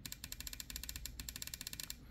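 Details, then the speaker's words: Yamaha WaveRunner FXHO/FX140 MR1 engine, injector 2 bench-tested in place on the ski by tapping power: sharp, crisp, even ticks, injector opening properly; functioning but probably needs cleaning. "So hopefully you can hear that, pick that up, that it is in fact clicking. Injector number 2 is a functioning injector, probably needing to be cleaned, but it is a functioning injector."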